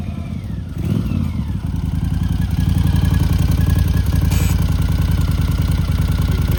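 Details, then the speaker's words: 1982 Honda CX500 Turbo, 500cc, at idle after brake caliper work and battery charge: rapid regular puffing chuff about three or four beats a second riding on idle, like the exhaust is blowing; exhaust leak. "The main issue is when I started the bike up, I could hear a chuffing noise, like the exhaust was blowing."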